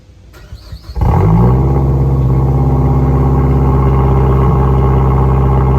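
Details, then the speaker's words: Mazda Tribute cold start: engine catches after a second and settles into a loud, raspy, puffing idle from big exhaust leaks; exhaust leak. "No, this one should be pretty shitty, because we got some big exhaust leaks."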